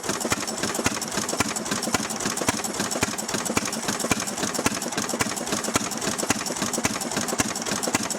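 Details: Restored 6hp Fairbanks Morse Model Z single-cylinder engine running on kerosene, driving a buzzsaw cutting firewood: sharp, regular firing beats just under two per second, holding steady under saw load; normal healthy running.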